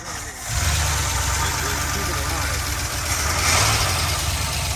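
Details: 1979 Chevrolet C10 pickup, revived after long storage, first start with the choke held open: catches and settles into a lumpy, uneven idle with a wavering low burble, fuel return leaking; rough idle, cause not confirmed.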